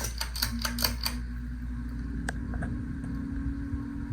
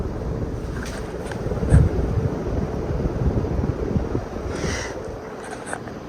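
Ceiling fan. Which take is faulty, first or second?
first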